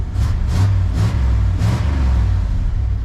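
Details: 31-year-old Chevy dually pickup with carbureted big-block V8 and muffler: deep, even rumble with a steady beat and no knocks or misses; running healthy.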